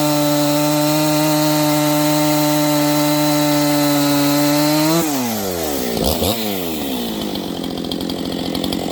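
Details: Freshly built Husqvarna 268XP chainsaw with 24-inch bar, first cuts during break-in: high steady scream drops into the cut, then revs wander up and down, slowing and speeding up while the new engine loosens.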